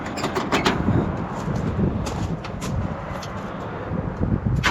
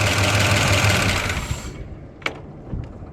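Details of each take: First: Jeep J20 started after fitting the belts on the bottom pulley; catches and settles into a steady low idle with an even beat, no misses; voltmeter shows it now charging; normal start and idle. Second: Jeep J20 running, battery disconnected to test the alternator: steady lumpy idle sags and dies within two seconds, leaving scattered clicks; the engine cannot run on the alternator alone, confirming a failed alternator, to be replaced.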